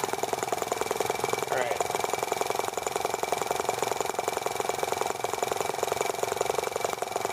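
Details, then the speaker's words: T26 model engine on a cold, wet day after unkinking a fuel line that touched the flywheel, plug arcing when humid: fast, even buzzing beat without stumbles; running cleanly, picking up fuel properly. "having removed the kink in the fuel line, that will fix a lot of problems."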